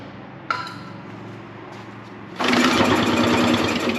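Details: Dad's old concrete mixer engine, long unused, pull-started: quiet cranking then brief rough burst of firing that dies; owner suspects it runs only on starting fluid, fuel not reaching carburetor, maybe stuck float.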